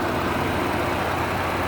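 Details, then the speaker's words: 2015 Ford Expedition 4x4, 3.5 twin-turbo V6, about 79,000 miles, idling with the hood open. Steady, low, even hum with no knocks, ticks or misses. Smooth normal idle, no leaks. "the hood like I mentioned has a 3.5 twin-turbo v6 it idles smoothly no signs of any damage no signs of any leaks"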